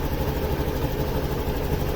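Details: Honda Activa 6G scooter idling steadily with an even low thrum, no misses or stumbles, after a faulty O2 sensor caused missing, hard starting and hesitation; sensor fitted and confirmed working by scanner, engine now running normally.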